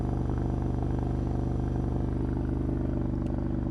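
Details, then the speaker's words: Triumph Scrambler 900 fuel-injected twin on choke, already warm from riding: even pulsing at a raised warm-up idle, no misfire, easing and calming as the choke is pushed in one click. "so as you can hear the bike is revving quite high as you hear and then if I just push this in one click you hear the bike calming down"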